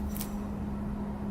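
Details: Honda K20 engine, belt removed, water pump pulley spun by hand: brief smooth quiet whir, no grinding or roughness; water pump bearing sounds good.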